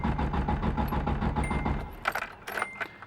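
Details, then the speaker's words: Ford KA with its fuel pump fuse removed to bleed fuel rail pressure before replacing the fuel pressure regulator cranks rhythmically about two seconds without catching; the car already had starting trouble and ran rich. No start, fuel pump disabled. "so we're gonna get rid of all this fuel also depending how much fuel you have the car will start and bog out so in my case since my car already has trouble starting um it's not going to do that"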